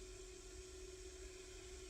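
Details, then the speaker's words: KOKONI 3D printer on power-up running its 30–60 second self-test while its white light flashes; quiet steady hum with a single mid-pitched tone held under light hiss, a normal self-test. "all right so when you turn it on the printer is going to start to flash that is doing itself self test test procedure takes 30 to 60 seconds which is about right and then the white indicating light will stop flashing and the printer is ready to use"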